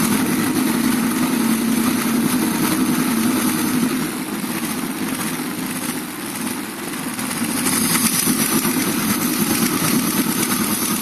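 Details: Steady idle with light quick ticking about three to four per second over the engine; valve tick.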